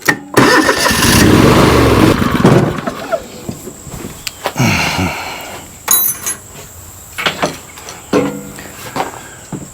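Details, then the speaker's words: John Deere LX188 water-cooled riding mower: cranking bursts, engine briefly catches then stumbles and stops; hard start needing repeated key clicks, cause unclear. "so you can kind of hear it's wanting to now it wants to start but now I'm tempting not to replace the starter I might just keep it but it's not like you got to click you got to click the key click the key"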